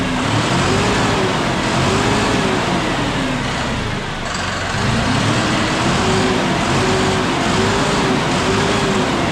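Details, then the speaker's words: John Deere 5067E diesel tractor at 30 hours, loader locked out, after loose intercooler/turbo boost hose clamps leaking boost were tightened: steady heavy drone with faint wavering tone; normal running. "Probably won't hear the turbo whistle like we did when it was pulling before, but it's going to have more horsepower, I guarantee it, because it's going to get all the boost."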